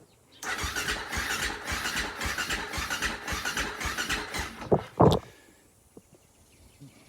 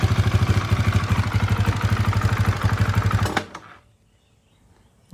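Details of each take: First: Husaberg FE450 that didn't run, after valve adjustment with the cam cover refitted: steady starter cranking at about three and a half compressions a second for four seconds, never catches; cranks, no start. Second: Husaberg FE450 single-cylinder that came in not running, after timing check, water pump seal and clutch repair, weak battery: steady even thumping idle for a few seconds then clean shutoff; normal running.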